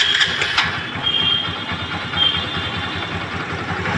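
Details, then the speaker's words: Honda Dream Yuga engine after an engine rebuild that cured a seized-sounding crank knock: electric start catches quickly and settles into an even, steady idle, the crank noise now gone. "है दोस्तों गाड़ी sound अच्छा आया गाड़ी का sound आप सुन सकते हैं"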